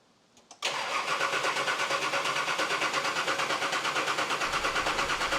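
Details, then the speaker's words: Nissan Patrol diesel just fitted with an upgraded 11mm boost-compensated injector pump, primed: steady brisk cranking near three beats a second without catching, no fuel yet from injector lines; owner feared the timing was wrong; long crank, slow to start. "now as you can imagine I was a little bit nervous that the car didn't want to start straight away"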